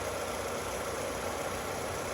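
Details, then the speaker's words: 2007 Chevrolet Cobalt LS 2.2 L, oil 3.5 quarts low (burning, no leaks) and rattling when driven in, after topping up the oil: surprisingly quiet startup, steady even idle with no rattle or tick; normal idle. "well that was uh i guess it's good surprisingly quiet on startup"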